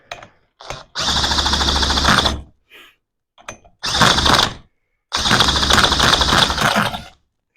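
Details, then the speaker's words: Johnson Seahorse outboard after carburetor refit: harsh rattling cranking bursts with stray catches that never build into a steady run, tried with and without choke; fuel disappearing, owner suspects a leaking carburetor or closed fuel shut-off. "it is trying no choke some fuel is disappearing I don't know where it goes do we have a leaking carburetor huh"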